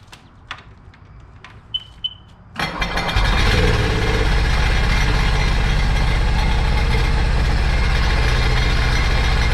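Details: Supercharged 2009 Sea-Doo GTX 215 jet ski bought with a locked-up motor, run on the hose after revival: clicks, then a low uneven run stumbling about four times a second. Cylinder 3 misfire from a cracked ignition coil.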